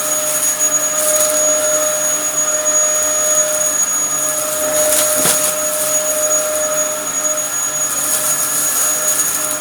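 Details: Likely the Dyson DC07 upright from a neighbour, mint apart from dirt but with a broken chassis, running: smooth rushing airflow over a steady high motor whine, pitch holding even. Running normally.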